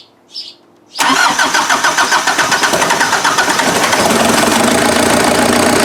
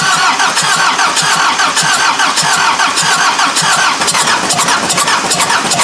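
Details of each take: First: Freshly rebuilt Mazda off-road diesel engine after first startup: brief crank, then smooth, even diesel idle with no missing beats, cold-start advance disengaged; owner believes the previous engine's timing was one tooth off. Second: Freshly rebuilt Mazda engine on first start after reinstalling injectors, timing belt possibly one tooth off (suspected), fuel return line still filling: uneven cranking that catches and stumbles, never settling into a clean idle; rough start with odd noise, cause unclear.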